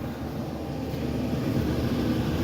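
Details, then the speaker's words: Return air duct of a 1986 Kenmore 70 Power Miser natural-draft 80% gas furnace, heard upstairs: a steady, loud low rushing rumble. Heat exchangers plugged, probably running about 40%; noisy return is the main complaint. "but that return is very noisy. Very noisy."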